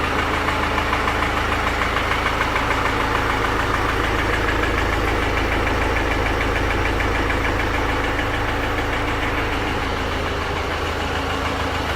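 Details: 2018 BMW X1 xDrive18d (F48) diesel, 80,000 km, idling with a sudden-onset hard metallic knock about three times a second from the bottom end; diagnosed as a broken piston, cause unknown.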